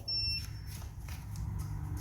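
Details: Electric motorcycle with FarDriver controller, wheel off the ground, after swapping to the motor's second set of Hall sensors to diagnose error code 1: one short high beep at key-on, then low hum; controller powers up cleanly with no error.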